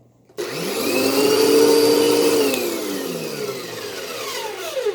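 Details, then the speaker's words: Moosoo U1400-A vacuum in vacuum mode: motor spins up to a high, rough, rattly whine then winds down; owner suspects the fan has blown up, not confirmed, switch awkward but likely not defective. "yeah that to me it sounds like the fan in this thing has blown up"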